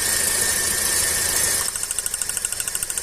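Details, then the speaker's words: Engine at idle while plug leads are pulled one by one: uneven idle with a steady train of sharp pops several a second and shaking; one cylinder misfiring. "Ó, tá estralando e tá tremendo."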